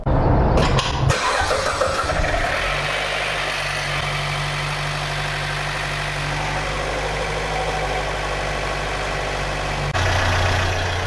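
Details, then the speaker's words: 2014 Chevrolet Cruze 1.4 turbo first start after head gasket replacement and timing chain set: brief metallic chain rattle, tensioner not yet filled with oil pressure, fading within seconds into a steady idle. "heard some noise from the beginning the our chain was not tight because the broadway tensioner was not full with oil there was no weld pressure and until the oil comes to the ground contentioner you might hear that rattling noise but after three five seconds it fills with oil gets the chain tight and it's gone"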